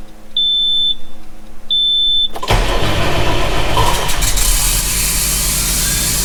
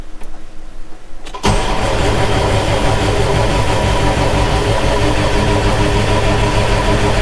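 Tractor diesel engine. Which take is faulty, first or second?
second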